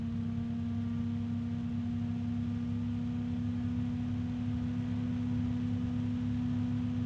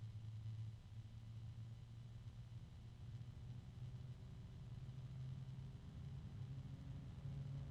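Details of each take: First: bgears b-Blaster 140 fan, third unit after two with damaged bearings; steady low hum with even airflow rush, only a very faint rubbing or harmonic resonance, no ticking or grinding; running normally, roughly 25–30 dB, a little loud. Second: bgears b-blaster 140 case fan, third unit (second replacement), tested for noise: a steady low hum swelling over a soft rumble, with a very faint rubbing sound and harmonic resonance of unclear source.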